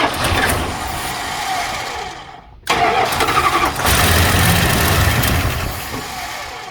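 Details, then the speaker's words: 1975 Plymouth Roadrunner, abandoned about 20 years, hand throttle during first start: cranks and catches with a rough roar, dies abruptly, then fires again briefly, so it starts but stalls. A bad ballast resistor is suspected. "Did you shut it off or did it shut off? It shut off."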